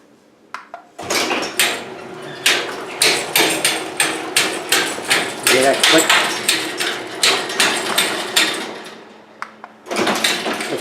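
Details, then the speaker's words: Garage door opening with sharp, uneven clicks about three a second from a worn bearing in the 3-inch round cable pulley the cables run over; an easy repair. "hear that clicking noise that you're getting there let me show you what the problem is and I'm gonna show you how to go about repairing it it's very easy"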